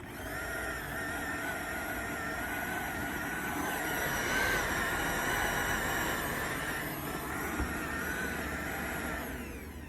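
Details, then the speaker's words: Popper popcorn popper used as a coffee roaster: the high whirring fan motor pitch wanders, climbing and sagging instead of holding steady; a failing fan motor, fixed by replacing it. "so that's about as bad as it gets right there that's a failing motor"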